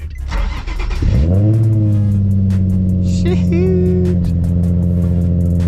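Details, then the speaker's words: Nissan 350Z cold start: quick crank, catches cleanly and settles to a smooth fast idle; owner concerned about low oil pressure, about 10 psi or lower at idle versus normal 14, oil was low. "let's start this one up so it's warm and we're ready to go cold start"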